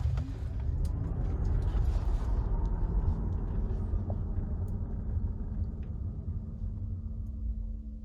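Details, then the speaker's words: Tesla Model Y with acceleration boost, heard in cabin during an acceleration run: smooth low drone with faint steady hum rising gently; no knocks or grinding, normal drive sound. "i hear it here but it's it's like it stays on the outside and we're hearing what's outside of the cabin"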